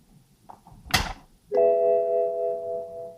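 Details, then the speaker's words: BMW 760Li V12, after coolant transfer pipe leak repair with Bimmer Fix kit, during bleeding as coolant overflows at operating temperature: a short rustle, then one clear sustained two-tone dash chime, the coolant level low warning. "Coolant level low. What makes you think so?"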